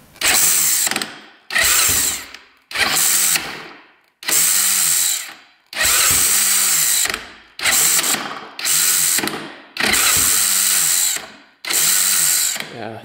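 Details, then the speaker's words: Honda TRX450 quad: repeated short starter bursts whir up without engaging the engine; it sometimes catches, sometimes not, blamed on a slipping starter one-way clutch, replacement part ordered. "so open that's the issue but let's just try it one more time see it sometimes catches sometimes not listen to it"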